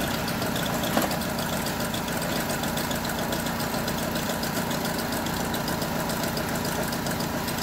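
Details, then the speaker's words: Honda Civic FD with a check-engine light: uneven idle with an irregular knock about once a second and a stumbling beat. A misfire caused by a loose ignition coil connector; after the fix, idle is normal at 750 rpm. "so Ayun lang ang naging problema niya yung socket kumbaga nagloose na yung socket kaya nagche-check engine kaya yung makina nagiging palyado"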